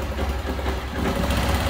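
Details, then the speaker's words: Motorcycle engine with a high-lift performance camshaft: fast, busy ticking over a rough, lumpy idle, normal valvetrain clatter from the performance cam rather than a worn part, though the customer wants a quieter one. "para escutar né mas esse barulho pra gente é normal mas cliente não quer Suave né"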